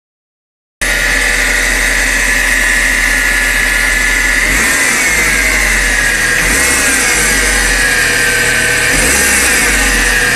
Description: Civic 95 Strange whining noise